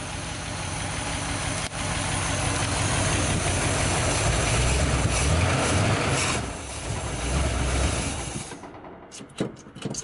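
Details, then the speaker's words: 1973 Dodge D100 V8 with 800 CFM carburetor, first start in 10 years, fuel squirting without priming; deep, steady rumble at an even beat, no misses or knocks, idling smoothly with a little black smoke. "oh it's squirting yeah I don't think we're going to need to prime it see what happened she running pretty good"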